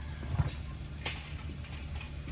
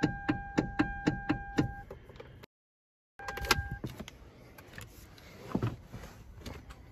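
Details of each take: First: Hyundai Veloster after replacing the worn steering column flexible coupler: steady low engine hum while the wheel is turned, with the earlier clicking/clunking gone. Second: Hyundai Veloster, parked: sharp clicks about four a second as the steering wheel is turned, caused by a worn flexible steering coupler in the column; fix is replacing the coupler.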